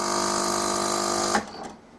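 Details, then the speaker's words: Melitta Caffeo CI coffee machine heats then attempts rinse: steady buzzing pump hum for about a second then cuts off, no water delivered, Start System cycles again; pressure suspected not to be building in the system. "так друзья вода у нас так и не полилось промывка не получилось и опять у нас горит star system"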